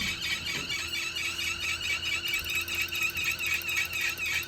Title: 2021 Wahoo Kickr squealing noise